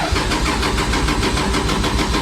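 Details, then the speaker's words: Drift car with a cold engine cranked for a drive to a Vegas drift event. The owner expects it not to fire first try. Fast, even cranking goes on through the whole clip without catching, and he worries the battery will die. Cause not confirmed. "i know she about to be cold so she's not gonna fire up first go let's see"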